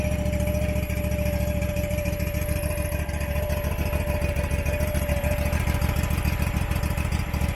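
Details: Abandoned Husqvarna XPT V-twin mower, possibly 2002, idling just after carburetor reinstall: steady low thumping with uneven hum, running rough, humming and blowing lots of smoke; dipstick shows no head gasket failure, owner suspects it's stuck in choke.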